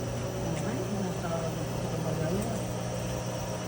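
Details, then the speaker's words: GE washing machine spinning after repair; the spin noise came from a damaged bearing on the motor pulley, not the tub bearing; now a smooth, even motor hum with a steady low drone and no grinding or rumble, a normal spin. "tardé un poquito al quitarlo, pero pues lo quité y valió la pena. Miren, quedó serita la máquina. Gracias a Dios que quedó bien."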